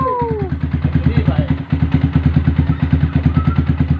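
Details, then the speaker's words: First start of a Yamaha R15 after fitting a 62 mm cast cylinder block: even, quick single-cylinder idle pulses with a steady beat, no knocks or misses; smooth, healthy idle. "Suaranya halus men."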